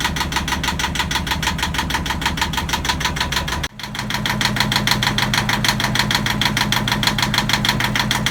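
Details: Yanmar marine diesel on a sailboat at its first start after fresh diesel, new batteries and priming: even, steady idle clatter that dips briefly then settles smoothly, healthy. It ran about five minutes, then stalled from air in the fuel lines.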